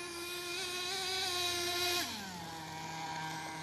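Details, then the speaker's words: HPI Savage nitro RC truck engine running: thin high buzzing drone holds steady then drops to about half pitch; owner thinks it seems to rev high, cause unclear, with a loose wheel/dog bone issue and low fuel. "I guess maybe it's just me just sounds like it's revving High"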